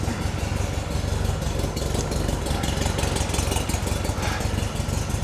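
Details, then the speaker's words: VW-based Porsche 356 Speedster kit car after a cold start at 37° with the heater on, not yet warm: an even, steady chuffing idle at about three beats a second with 40 PSI oil pressure and no misses, knocks or rattles. Healthy idle. "yeah idling nicely 40 PSI on the dash"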